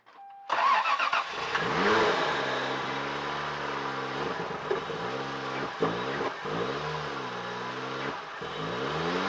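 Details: 1992 Lexus SC300, 1JZ, 5-speed, which would not start, after new spark plugs and all ignition coils refitted: short crank, then it catches at once and settles into a smooth even idle with light blips: normal start and idle.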